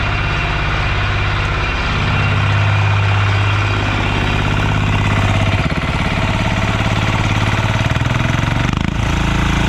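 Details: Yağmur YET 300 single-cylinder tiller, which had tipped over, misfired and stalled and would not pull-start, after repair: steady, even thump with a constant beat and no misses or knocks; normal running.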